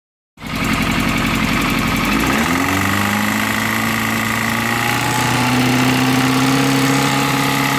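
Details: Yamaha FZS600 motorcycle starts and settles to idle with a steady, fairly regular knock beneath the exhaust note. The knock's source remains unidentified.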